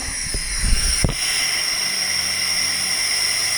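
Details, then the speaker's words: Kenworth truck with a 15-speed transmission: after a couple of shift clunks, a steady sharp air hiss holds on. Air leak blowing past a cracked range shift piston. "I think what's happening it shifts but you hear that air that air that's blowing by there is actually [Music] causing the leak so either way this piston goes it'll leak past it"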